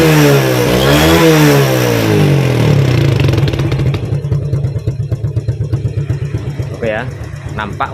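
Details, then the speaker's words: Yamaha Vega ZR burning over half its oil in a month; revs climb then drop to lumpy uneven idle with rough rattle underneath; stretched cam chain and worn camshaft from low oil, valves also suspected. "terdengar ada suara kasar juga Kang Bro Ada kemungkinan berasal dari area rantai keteng ataupun klep bisa jadi ya"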